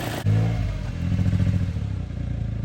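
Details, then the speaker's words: Mitsubishi Mirage restarted after water got into the engine by a riverbank, oil still milky after adding a liter: low idle that stumbles unevenly, missing on a cylinder. Water in the muffler or fuel is suspected; it improves with running. "Could just be water in your muffler, eh? Yeah, it's missing."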